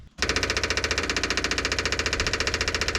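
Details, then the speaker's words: Electric fuel pump running dry on a '57 Chevy Tri-Five after fuel tank cleaning and reinstall with about five gallons of gas: loud buzzing chatter, two to three pulses a second, never quiets. Owner suspects the line needs priming. "happens so far still loud i wonder if i'm going to have to kind of prime that line"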